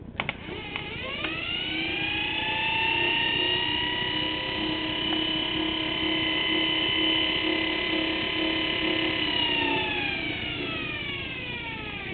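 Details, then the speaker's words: 24 V forklift DC motor with electromagnet field coils, run off a 12 V truck battery: smooth high whine spins up, holds steady, winds down; no crackle, brushes no longer sparking, runs healthy. "I'd say roughly it'd probably put out about 15 maybe 20 horsepower did it and I'm only running on 12 volt battery"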